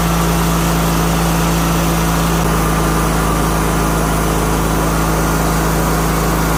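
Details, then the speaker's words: 2000 Craftsman LT1000, Briggs & Stratton 21HP L-head twin, after carburetor clean/rebuild and fuel pump rebuild stopped the fuel leak: steady low, even thrum, constant droning note, no misses or surging; normal smooth idle. "We got the carb cleaned, fuel pump to stop leaking fuel. We got the new grill on it. We got the new tires on it. Tubes in the tires. And it's running."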